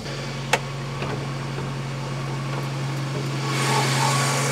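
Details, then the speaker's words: Volvo 240, warm/hot engine just after passing MOT: fast, even idle at about 1400 rpm with a steady hum and slight rise near the end. Idle too high, should be about 800–900. "it's like the Idol's a bit High though I was just saying that it does sound a little bit hot look it's it's actually like 1400 that's too high for idle"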